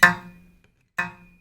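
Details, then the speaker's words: Shruti box G reed, before repair: two short notes with a buzzy edge, because the reed tongue touches the frame surface. "but this is not normal this is making budging sound because of the the tongue touching the surface"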